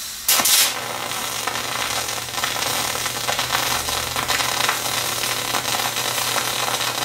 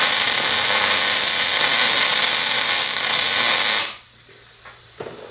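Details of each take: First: MIG spray transfer on 90/10 gas at 375 wire feed and 31.9 V: a smooth, steady, eerily quiet hiss for about eight seconds with no short-circuit crackle and much less spatter, a normal spray arc. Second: MIG welder in short-circuit transfer at 240 in/min wire feed and 18.8 volts: a steady hissing crackle like frying bacon for about four seconds, then it stops dead.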